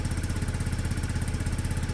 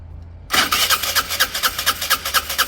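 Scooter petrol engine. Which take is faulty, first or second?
second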